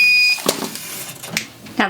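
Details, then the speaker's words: ProWorld Transpro Plus 16x20 semi-auto heat press: a clear high beep a few seconds before the press auto-opens, then clunks. This is the normal safety warning before opening. "that one's done and you can hear if you listen that the press beeps a few seconds before it actually auto opens. It's just for safety reasons, just to let you know that it is about to open."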